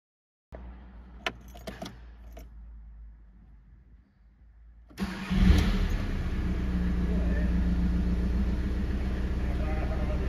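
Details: Seat León 1.9 TDI after the fix for its typical hard-starting fault: short crank, then it catches at once and settles into a steady diesel clatter at idle; starts promptly.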